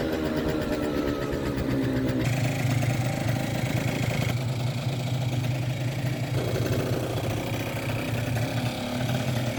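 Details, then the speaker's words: Kymco 50cc two-stroke scooter with Koso 89 mm variator and 8 g rollers: wavering, uneven idle; mid-range dead, then it suddenly picks up. Fuel or carburettor suspected; owner later suspects a leaking cracked block. "The scooter runs very unevenly. The mid-range doesn't work. Doesn't seem to be working. But suddenly it gets gas and it pulls away. So something's wrong with the fuel or carburetor or something."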